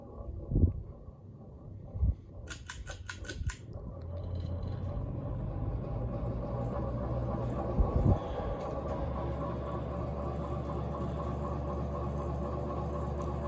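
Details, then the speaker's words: FASCO Decorator Series 48 in ceiling fan on high speed: steady low hum and whoosh, annoyingly noisy but well balanced. "high speeds pretty annoying but it's well balanced um"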